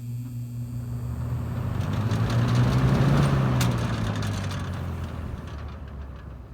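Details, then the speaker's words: 1972 Lasko model 4700 20-inch two-speed box fan running: steady drone with fast, fairly even rattle from worn, loose grilles; front grille barely stays on, rattle worst at startup on high. "oh no maybe the speeds are about the side the two speeds this one has got on low you can hear the grills kind of rattling"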